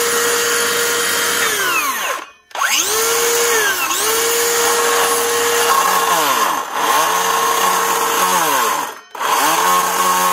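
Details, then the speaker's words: DeWalt 54V Flexvolt DCS577 type 2 brushless circular saw spins up with a rough, gritty running note and a rising squeal as the collapsed top blade-shaft 6002 bearing loads up; replacing the bearing with gear grease is the fix. "doesn't sound good it's actually not too bad actual bearing for the blade bundle she has gone bad and collapsed"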